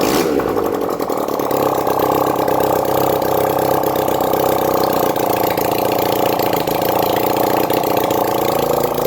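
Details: 1971 Honda CD175 K3 twin under restoration, first start after wiring fixes: catches and settles into a steady, even idle with a light rapid patter, no knocks or misses; running normally, though the side case gasket was leaking oil.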